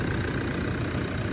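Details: 2013 Toyota Prado 150 diesel, over 300,000 km, new long motor and new turbo, running after the last unplugged connector was refitted: steady, even idle rumble with no knocks, stumbles or hunting; normal idle.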